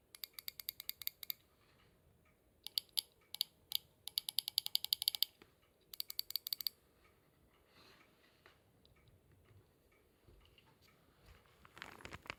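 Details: Subaru Pleo engine noise traced to injectors; removed injectors tested on the bench after replacement: bursts of rapid sharp metallic ticking, with some variation, one injector clearly sounds different, indicating a faulty injector.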